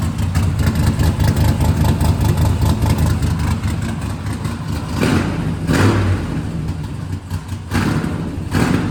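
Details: Vehicle "Capone" first start after exhaust extension (old headers, bullet mufflers, 3.5" stainless pipe): deep lumpy idle, clean crisp throttle blips; far better than before, healthy cold start and revving.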